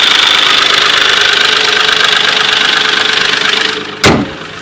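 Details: 2003 Nissan Maxima petrol engine at idle: rapid even light ticking over a bright hiss, then a sharp knock as the sound stops; engine ticking, cause unknown.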